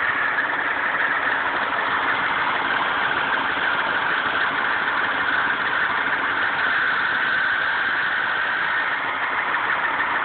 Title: Grinding noise most noticeable on cold start